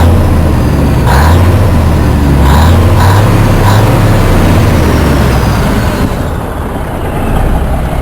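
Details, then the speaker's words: 1967 Freightliner cabover diesel, warmed up, after a turbo swap with pulse manifold and a new straight pipe: deep, loud idle through the open pipe with quick throttle blips; smooth and even, better than with the muffler. "Sounds all right. Got a little snap to it. Nothing crazy. Nothing like the VI or nothing. Sounds Sounds a lot better than it did with the muffler, though."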